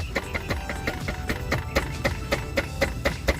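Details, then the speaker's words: Infiniti/Nissan G35 dual mass flywheel, clutch exposed, moved by hand: quick metallic clunks about four a second with a ringing tone from excessive play between the worn flywheel halves; causes clutch rattle, to be replaced. "look how I can move this piece up and down and it makes noise also"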